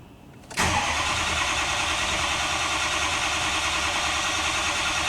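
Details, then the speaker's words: 2005 Ford F-350 6.0L diesel cranks well but never fires, died while driving, no codes; ICP pressure barely climbs on cranking against 1500 desired, IPR nearly maxed, FICM 48 V: loss of injection control pressure (high-pressure oil) causing crank no-start. "it cranks great but there is a it doesn't even attempt to start there's no fire at all"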